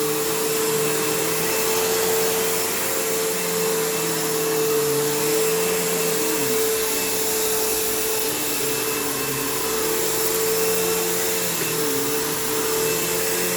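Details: Kenmore PowerPath System vacuum on living-room carpet, just acquired: steady roar with a wavering motor whine, an uneven flutter and a long wind-down. Tired motor; the brush roll needs work and the slack belt needs changing, so it needs a basic service.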